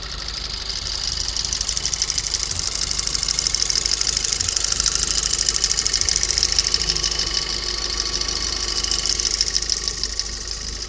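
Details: VW Golf GTI TFSI with forged pistons, idling cold. A rapid, sharp metallic knocking is piston slap before the engine warms.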